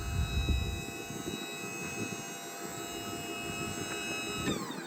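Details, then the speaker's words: 2016 Ford F-450 with Liftmoore 3200 electric-over-hydraulic crane, run from corded remote: even pump whine shifting smoothly as the boom turns, extends, raises and hoists. Normal hydraulic crane operation. "But the crane does what it's supposed to do. It's fully powered. It turns, extends, goes up and down, hoist goes up and down, so it is hydraulic."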